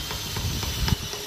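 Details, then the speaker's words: Steering rack from a Fiat Uno giving light metallic clacks about four times a second over a hiss; play in the inner tie rod (axial joint) causes the knock, not the rack itself. "Às vezes seu carro tá com a caixa de direção batendo, você vai pensar exclusivamente que seja a caixa, mas não."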